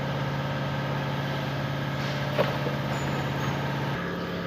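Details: 2016 Ford Escape with cylinder 1, cylinder 4 and random misfire codes and a throttle actuator stuck-open code. After the dirty throttle body was cleaned, a low, even hum holds steady pitch with no misses or knocks: smooth, normal idle.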